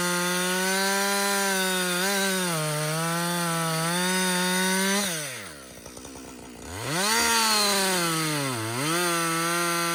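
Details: Husqvarna 562XP two-stroke chainsaw, back from the dealer after being reflashed for dying when hot and failing to start, now hot after long continuous cutting: strong steady wail holding pitch, dipping and recovering cleanly between cuts; normal running under load.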